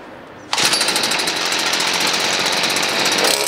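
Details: Stihl FS38 two-stroke grass trimmer, after carb adjustment and with trimmer line refitted (it ran slightly off without line): a loud, high, steady buzz held at high speed with no stumbling or hunting. It runs clean and strong.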